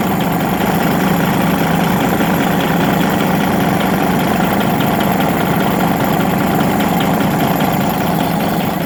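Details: Rebuilt Detroit Series 60 diesel at idle, with one injector adjusted at a lower rate: a sharp, fairly steady knock rides over the heavy rumble.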